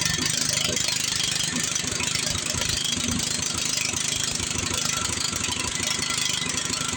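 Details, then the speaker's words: Power Smart snow blower small engine, restarted after carburetor cleaning with residual cleaner still inside: screaming at high, unsteady revs with a busy rattle and never settling to idle. Engine racing; sounds like the throttle is stuck. "This thing's got another problem. It just plainly sounds like the throttle's stuck."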